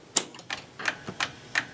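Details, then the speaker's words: 1961 Seeburg AY100U jukebox changer during cradle adjustment: sharp, evenly spaced clicks about three per second that come and go, with the mechanism running loose; owner wonders about the clutch but doubts it, cause unknown. "See, 1 minute it's not, the next minute it is. I can't figure it out."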